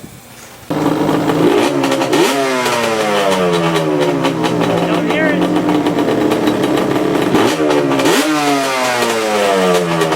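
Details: 2002 Yamaha Banshee two-stroke after kickstart rebuild: starts cleanly, revs rise and fall smoothly in crisp quick blips with no misfire or rattle; runs healthy.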